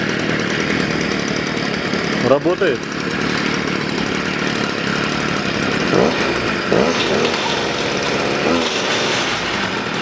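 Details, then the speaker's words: Stihl FS 55 trimmer that started then died and wouldn't rev, after a carburetor rebuild: a steady, high buzz holding even revs with no stumbling or dying; fuel now reaches the top and it runs steadier as it warms. "работает и здесь сверху стал бензин появляться до этого его не было он пропал вот сейчас она прогревается по устойчивее немножко работает"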